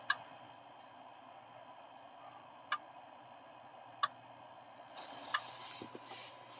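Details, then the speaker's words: Diesel truck injector self-test, key on engine off, cold: sharp single clicks spaced a second or more apart with a long gap; injector 2 silent and 3 silent or very weak; owner suspects injector harness, not confirmed. "So I'm gonna have to go back over here because from what I heard, there was either nothing on 3 or a very faint click, like very weak."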